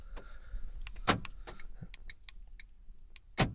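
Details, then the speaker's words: 2012 Ford KA / Fiat 500 with a newly programmed remote key (Lonsdor K518): two sharp door-lock actuator clunks with lighter clicks between them, then the engine starts. Central locking operating normally. "you can hear that central locking working there, and it starts."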